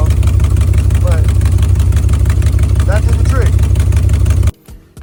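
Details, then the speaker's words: Chrysler 300C 5.7 Hemi after installing long tube headers and replacing missing driver-side header bolts that caused a clunking exhaust leak: deep, loping, even V8 idle with no ticking or puffing; leak fixed. "Wow. Now it sounds like an actual freaking muscle car and not some freaking dump truck."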